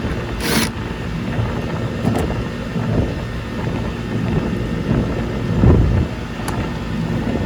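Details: Goodman gas pack (package unit, likely 2.5-ton, from 1999) on a roughly 1,500 sq ft house after no-cooling call and replacing failed run capacitor: steady low compressor hum with even fan rush, no clicking or chattering; unit running normally, coil likely needs cleaning.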